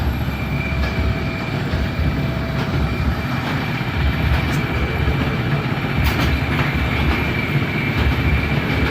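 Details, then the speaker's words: Bowling pinsetter turned on and cycled by tripping the beam while chasing an intermittent cycling fault: loud clattering over a heavy low rumble, steady cycle with no odd bangs or grinding; no failures found, sounds normal. "I've turned it on I've tripped the beam a few times um I Didn't Do It on camera cuz it's kind of noisy right but I'm going to turn it on and do it again"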